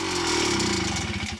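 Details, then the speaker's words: Rebuilt Yamaha PW50 two-stroke at idle on first start after reassembly: buzzy slightly tinny pinging rattle, mild piston slap from a piston slightly smaller than the cylinder; otherwise sounds healthy. "hear a little bit of pinging a little bit of engine noise that's piston slap because the Piston is a little bit smaller than the cylinder and it rattles around there a little bit but low speeds"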